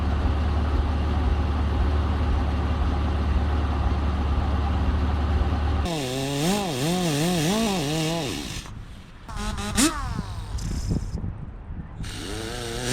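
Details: 1974 Ford 3550 industrial tractor, freed up with vinegar, cranked with spark plugs removed to check spark; quick even starter whir with no compression pulses, engine spins freely: normal cranking with plugs out.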